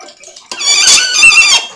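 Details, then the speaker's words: 6-litre aluminium fruit press squeezing chopped apples in a filter bag: a high, wavering squeal of about a second as the screw bears down. Press screw squeaking under load. "it really helps get the juices out and you can hear that thing squeak she's moaning she does not like this"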